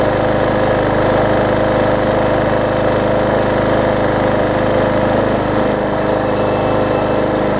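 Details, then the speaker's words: Yard Man push mower after a major service with the primer bulb replaced and priming working: the small single-cylinder engine holds a steady, even beat at constant speed with no misses or surging; normal running. "so that's all we need is for it to prime right there i put the primer bulb in it and they crank it up for us"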